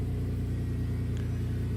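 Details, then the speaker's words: 1999 3rd gen Toyota 4Runner with rat-chewed engine temperature sensor wires temporarily jumpered: starts right up and idles with a steady, even low rumble and no misses or knocks; check engine light stayed on until the repair was done. "okay start it right up you might want to note the engine checklight did not go off this time"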